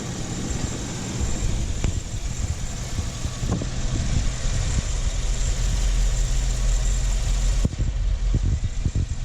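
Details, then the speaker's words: Chevrolet Suburban V8 idling after BBK headers installed, broken exhaust manifold bolts welded, plugs and wires refitted: steady, even deep exhaust note, no ticking or puffing at manifold area; sounds much better, healthy and sealed. "So far, so good. Definitely sounds a lot better under here. I'd say it was a success."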